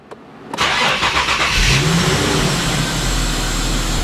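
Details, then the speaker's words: 2010 Infiniti G37S with codes P0174, P0171 and P0300 after throttle-body cleaning: cranks, catches, then idles rough, speed fluttering up and down and nearly stalling; lean condition, possible vacuum leak. "oh yeah you can definitely feel it's running rough right now it's kind of fluttering up and down oh now it's it's almost wanting to die"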